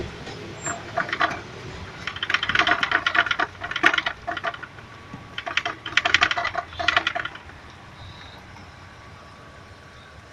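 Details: Nissan Primera QP12 with a metallic knock over bumps: irregular bursts of light metallic clacks as the radiator is rocked, then quiet. The cause was worn rubber radiator mounting bushings.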